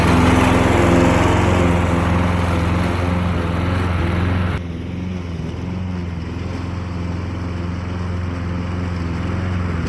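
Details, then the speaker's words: Murray 22-inch push mower, 5 hp Briggs flathead, unrun 20 years, after carburetor cleaning and governor adjustment: at full throttle mowing tall grass, steady chug then note drops and stays low; low speed, owner thinks carburetor needs adjusting. "they need some work needs more loving carburetor needs to be adjusted I don't think it's right that's Full Throttle"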